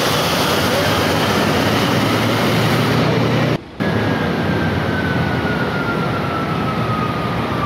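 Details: CAT 3512 GD diesel generator set (2008), after clearing an emergency-switch fault that prevented starting: loud, steady running with no knocks, misses or surging; set now running cleanly.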